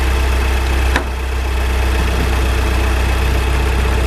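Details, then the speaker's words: Salvage Audi A3 2.0 TFSI, engine run nearly to operating temperature: steady deep idle with light quick tick about four a second from one side of engine; owner suspects fuel pump, cause unconfirmed. "so i've run the engine up nearly to temperature didn't quite get there because there's quite a lot a loud ticking noise coming from this side of the engine so i didn't want to run it any further"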